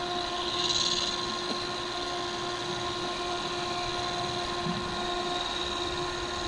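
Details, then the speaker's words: Mini air cooler blower modified from 5 V to 12 V, powered from a battery pack, replacing the defective original; even strong whirring with steady high tone, no flutter or rattle, strong quiet airflow at constant speed. "Ayan. Ang lakas, tahimik na. Ang lakas ng hangin. Ayan. Ayan siya. Ang lakas."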